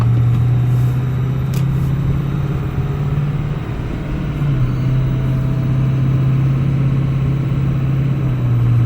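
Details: 2005 Ford F350 6.0 Powerstroke diesel: steady low whining drone with no clear knock, more pronounced after intercooler boots, fuel pressure regulator, glow plugs and harnesses, fuel/water sensor, filters and oil were replaced; cause unknown.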